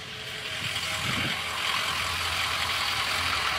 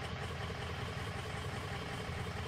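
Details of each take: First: 2003 Ford F350 6.0 diesel that started then ran rough and stalled from combustion gases in the fuel; after replacing the number one injector it idles with steady clatter, no misses, stumbles or stalling; running normally. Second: 2003 Ford F350 6.0 diesel that starts, runs rough, then stalls: lumpy uneven idle with loping clatter as cylinders drop out; combustion gas entering fuel via failing injector sealing washer/crush sleeve, often after injectors worked on without torque wrench.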